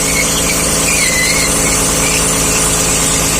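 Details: 2010 Dodge Journey at idle: a steady high-pitched squeal from the failed right front intermediate CV shaft support bearing, fixed by replacing the shaft assembly with a dealer part.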